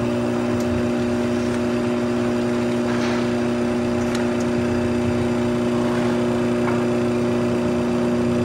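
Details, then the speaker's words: Maytag Bravos XL Steam top-load washer spinning up after draining, with lid lock engaged: steady low hum and clear motor whine holding pitch as the basket speeds up, smooth and even, no knocking or scraping; normal spin cycle. "mommy I think it's going faster yeah it's really fast spinning"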